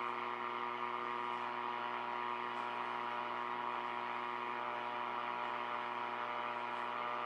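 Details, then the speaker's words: R5000 receiver at dark, near LED-upgraded street lights: constant mains-like hum with buzzy edge over receiver noise; interference suspected from LED street lights or Christmas lights. "we're going to record time that the noise kicks in and you'll see for yourself what happens the amount of noise that comes in this radio coming on dark it'll blow your mind"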